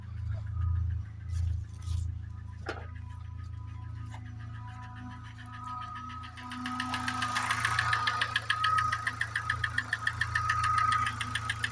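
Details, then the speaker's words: 2006 Chevrolet Lanos 1.5 petrol engine running with steady light knock about three to four beats per second, appeared roughly 50 km earlier, cause unknown; background music. "ребят chevrolet lanos полтора литровый шестого года появился стук в двигателе"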